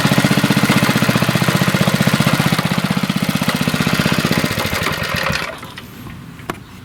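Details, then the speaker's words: 1981 Briggs and Stratton single-cylinder on a garden tiller, after a carburetor rebuild, air cleaner off: strong, even beat at steady speed, then winds down cleanly at shutoff. Runs smoothly. "there you have it you know it runs pretty good 1981 thinks 40 years old and purrs like a kid"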